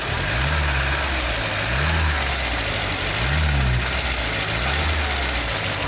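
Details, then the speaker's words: Old Citroën Berlingo, running on gas/petrol: engine blipped repeatedly, each rev bringing rising hiss and chatter from worn accessory (poly-V serpentine) belt; noise noticed while driving, replacement belt bought. "e aí esse barulho me preocupou em eu tava andando na rua e aí e aí e olha o problema aqui leão esse é o problema e aí a a correia de serviço dele lá ó"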